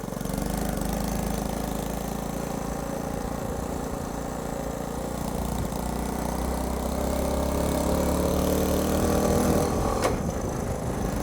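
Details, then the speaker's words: Honda C90 Cub bought off eBay, probably long unused, timing set far forward, on test ride: small single putters at an even fast beat and never settles lower; idle too high, needs adjustment. "If it would just calm down on the revs, that would be nice. See, listen to that, the revs are staying high."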